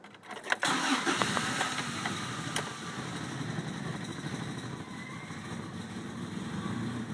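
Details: 1998 Toyota Tacoma with intermittent crank-no-start: starter cranks steadily for several seconds but the engine never catches.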